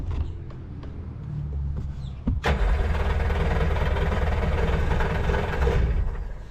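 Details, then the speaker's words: Jet boat engine on marketplace, run on a water hose for cooling: several seconds of cranking and sputters before it catches and settles into a rough rumble with more gas; a hard start, cause unknown. "wants to fire out give her a little bit more gas"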